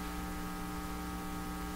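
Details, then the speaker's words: 1940s Canadian Red Cross five-tube radio, odd resistor removed, supply only about 67 V and drawing heavy current: constant low buzzing hum through the speaker with no program audio; cause not yet found. "is the radio working despite the hump oh the hum is coming right through on the volume"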